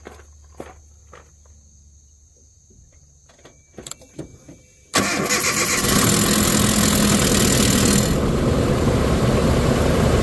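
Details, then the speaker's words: Truck with aftermarket tensioner and timing set, cold start after sitting all day: harsh metallic timing chain rattle for a few seconds before settling into a rough idle. "She's a little noisy. That initial startup rattle is pretty crazy in this one."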